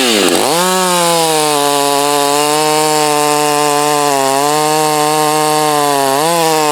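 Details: Strong, even buzz of a heat-soaked Husqvarna 562 chainsaw during test cuts, compared with a salvaged Husqvarna 51 and a 254. It pulls down smoothly into the cut and holds steady with no stumbling: healthy when hot.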